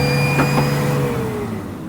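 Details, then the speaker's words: Replacement turbo for a Mitsubishi 4N14 diesel, tested on a petrol Adventure up to 3,000 rpm: smooth, fairly quiet turbo whine winding down evenly with no grinding or rattle; spins freely, lacking the failed turbo's noise. "Ito yung buong turbo. Wala siyang ganung ingay na narinig natin doon sa isang turbo na talagang sira na."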